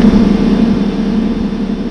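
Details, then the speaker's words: Small Mercury 4-stroke outboard catches and runs a moment, then dies; the carburetor is suspected, typically jets clogged by stale fuel. "hey guys have you ever had this happen to you where your motor cranks up and runs for a second but then shuts off"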